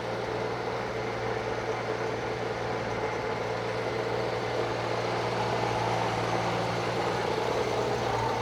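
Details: Circa-1952 Austin 6-cylinder petrol truck just revived after about 20 years standing: smooth steady idle, even low drone, no ticking, puffing or stumble; normal idle, owner unsure of a slight miss, hears no burnt valve, found a lead pulled from the distributor cap.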